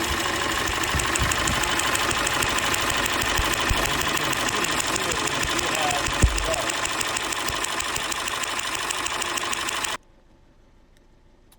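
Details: 2017 Mercedes E300 M274 engine, 88k miles: idles with a slightly uneven, loping beat from a cylinder 1 misfire; fuel pressure, coil, plug, spark and compression checked; engine known for cracked pistons on cylinders 1 and 4.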